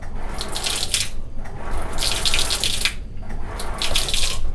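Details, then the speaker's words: Gas water heater with switch on: only running water heard, no igniter clicking or gas solenoid snap, no signs of life; control module faulty, replaced with universal module rather than batteries. "tidak ada tanda-tanda kehidupan padahal Lini posisi switch sudah posisi on ya"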